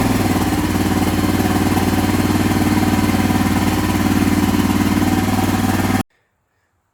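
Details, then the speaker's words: Honda XR650L after an oil and filter change with Honda 10W40 GN4 oil (2.6 L) and a factory filter, running to circulate the oil. Big single thumps at an even idle of about four beats a second, no knocking or rattle, before it cuts off. Normal idle. "All right, once you have the oil in it, put your dipstick tube in, and you're going to want to start it up and let it run to get the oil circulating through it."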